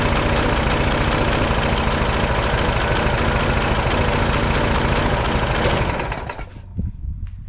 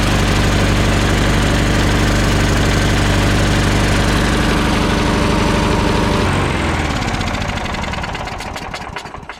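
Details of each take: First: Troy Bilt front-wheel-drive mulching mower, old Briggs & Stratton Quantum Power 4 HP engine, after a fix for gas leak and no-start. Steady single-cylinder beat, three to four firings a second, even until shutdown: normal healthy running. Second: Troy Bilt mower, old Briggs & Stratton Quantum Power 4 HP engine brought in for gas leak and no-start, started on third pull with choke fully on, smoking. Loud fast even beat, then dies away: rich rough running on full choke.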